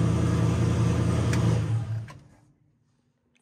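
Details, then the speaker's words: Mustang with a single-turbo SBE L33 engine on first start-up, after correcting a wrong ignition timing offset that had prevented starting: it fires and runs with a strong, even low rumble, then winds down smoothly; clean start, though vacuum leaks remain. "lives it lives yeah so the timing offset was definitely the uh problem why I wouldn't want to start"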